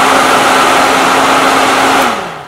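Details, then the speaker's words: 120 V AC mains fan switched on through a relay by a small low-voltage capacitive touch switch control circuit: an even airy rush with a steady low hum for two seconds, then a smooth wind-down; the fan runs normally. "small low voltage control circuit activating this relay to turn this fan on let's do it again"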